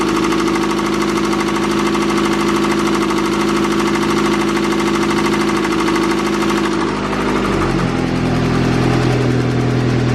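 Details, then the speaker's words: Acura Integra B18B with an eBay turbo kit, new injectors fitted, idling and revved slowly: heavy rhythmic hammering under a smooth idle, louder with RPM and gone on deceleration; rod knock, engine needs replacing. "and it gets louder with RPM you guys hear that the RPM came down there try this one more time just really slowly I don't want to [ __ ] kick a rod out of the block oh yeah and then as it decelerates the knock goes away that's how you know it's a rod knock"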